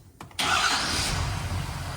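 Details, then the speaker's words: 2017 Ford F-350 6.7 Powerstroke diesel, 630,000 km, started right after emissions-compliant switch-on-the-fly tuning was installed, before exhaust work, checking for dash lights; brief crank, quick clean catch, steady idle with no stumble; normal start and idle. "All right, now that we got our tuning installed, we're just gonna fire it up and make sure everything runs good and that there's no lights on the dash."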